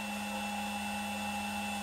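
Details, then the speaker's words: Air-cooled 1.5 kW 110 V CNC spindle on a 2.2 kW VFD at maximum 24,000 rpm, unloaded, before being set to 10,000 rpm: clean steady high-pitched whine with no wobble, rattle or grinding; spindle running smooth and healthy. "so far so it looks good it's pretty stable 24 that's the maximum speed low work now so that's the sound"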